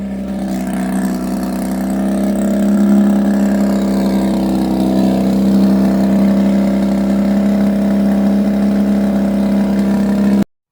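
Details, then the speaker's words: Mazda RX-8 running after fitting missing fuel pump fuse, a bit low on fuel, revved to about 5,000 rpm: smooth, even rotary hum that steadies after a slight rise, no misses or knocks; normal running. "So, it's a bit low on fuel, I think, but it's running all right."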